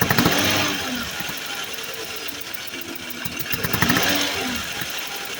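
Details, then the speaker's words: 2014 Chevy Silverado 4.3 V6, codes P0300 and P219B-00, rough idle that smooths under power: fast sharp ticking and puffing hiss from under the intake as compression escapes past failed fuel injector seals; fixed by replacing the injectors. "So it sounded like a spark plug almost was loose or something like that. You can hear compression escaping the engine."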